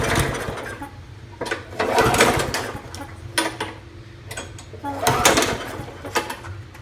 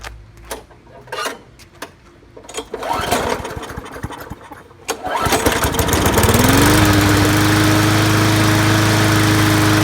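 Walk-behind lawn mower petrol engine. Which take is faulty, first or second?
first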